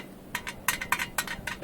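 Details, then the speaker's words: Pulsar RS 200 motorcycle: sharp metallic clinks, about six in under two seconds, from the exhaust muffler as its two underside mounting screws work loose. "Sese bakın. Egzoz susturucusunda bu sıkıntım var."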